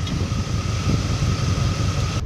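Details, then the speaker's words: Holley 750 carburetor on a V8 at idle, both corner idle mixture screws turned in a quarter inch: steady low rumble with faint whine, idle drops as the mixture is leaned out too far; lean idle, rpm sagging. "so we're going to go ahead and just take the two corners and just turn them in about a quarter of an inch and i actually just heard the idle go down"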